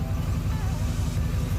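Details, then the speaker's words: Duramax diesel after Hot Shot's Stiction Eliminator oil additive; deep, even idle with a steady pulse and no rise or fall, now holding its range instead of the former fluctuation around 690 rpm; runs smoother and quieter. "but it just runs so much smoother. You can just hear it."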